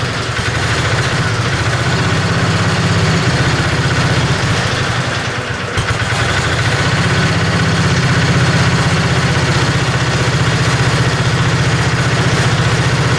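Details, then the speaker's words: Tinkering-project 725 small engine with an updraft carburetor, bowl filled through a tube from a bottle. A steady, slightly lumpy low chug at about four beats a second. It holds only on partial choke; the owner assumes restricted fuel flow. "it seems to seems to have to have some choke on to run at all I'm assuming that it's not getting all the the fuel flow that it probably could"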